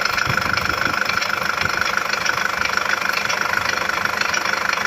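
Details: Nissan ZD30DDTi diesel at idle with a sharp regular knock, roughly three per second, over the clatter; owner cannot tell where the knock comes from or what to repair.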